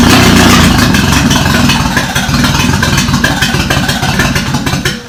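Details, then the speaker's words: Toyota Corolla engine cranking after distributor timing redone (suspected 180° off): fast rhythmic cranking with uneven firing bursts that try to catch then fade, nearly starts; oil leak then found at oil temperature sensor. "oh it sounded like it was gonna start but now we have a leak oil leak"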